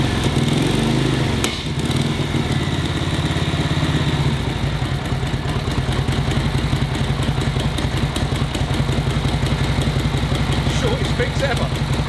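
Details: 1942 Harley-Davidson WLA V-twin, previous non-starter, compression and valve clearances OK, after distributor and carb overhaul and timing set; steady loping idle, even low thump, no misses or clatter; normal idle.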